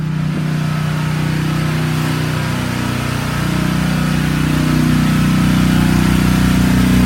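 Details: Generac 4000 XL generator, run a few times a year to keep it working: steady, even drone holding a constant speed with no knocks or misses; runs well.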